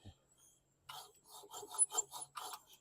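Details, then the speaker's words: 2005 Troy-Bilt 21" push mower (model 11A-A23N011, engine 129K02), carbon-fouled, turned slowly by hand: dry scraping rub in bursts each pull; suspected flywheel brake rubbing or surface rust on flywheel hitting the ignition coil. "or it could be some rust on the flywheel hitting the coil right there"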